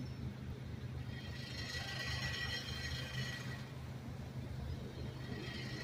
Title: Audio sample . Subaru with noisy exhaust system .